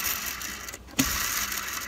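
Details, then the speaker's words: 2006 Subaru Forester, about 160,000 miles, AC compressor idler pulley spun by hand: dry, hissy rasping grind from a worn bearing with some play; fix is replacing the idler pulley. "the bearings start to give out this car has about 160 000 miles on it so um you know when this thing is spinning at 2000 rpm and you know there's a little bit of play in this bearing as well it's a big issue"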